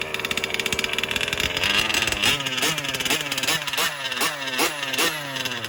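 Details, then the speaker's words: New BR 32cc piston-port two-stroke with a Bartolone end-bleed pipe, first-ever start after priming and a brief choke: it fires and burbles at an uneven idle, then blips up in quick rising revs. Sounds crisp and healthy. "Sounds good, bro. Congratulations, kid. She sounds great."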